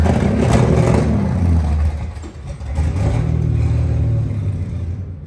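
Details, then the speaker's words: 1962 Dodge Lancer revival after carb overhaul and points work, now firing on all six cylinders: loud low rumble that lurches and sags, nearly dying before picking up; rough, unstable running that stalls sometimes, engine covered in fuel; revs up cleanly. "now I know what it sounds like it sounds like garbage and it's covered in gas trying to be on fire"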